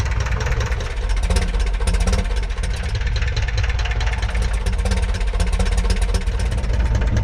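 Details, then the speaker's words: 1941 Piper J5 with a Continental C85 engine, run after about 30 years dormant (last ran 1995), oil changed twice: low, throbbing, steady idle with no metallic rattle. It runs evenly, though oil pressure was later noted as not good. "So, I went and started this engine and uh I don't regret it yet. Uh but uh the uh it sounded good."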